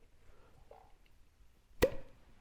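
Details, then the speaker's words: 1971 Honda CL350 twin, crank turned slowly by hand while setting ignition timing: one soft puff of air shows that cylinder coming up on its compression stroke, which is normal. "So as you bring this around, did you hear that? That means that we are on the compression stroke."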